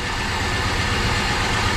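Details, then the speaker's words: 1973 Dodge Dart Sport V8 after head work, lifter noise gone, firing order checked: loud lumpy idle; cylinder 7 and a rear cylinder dead despite having spark, compression test pending. "this is number seven nothing it is sparking but it just got nothing just to show this is the one next to it it's definitely affecting it right there that one and this back one right here nothing"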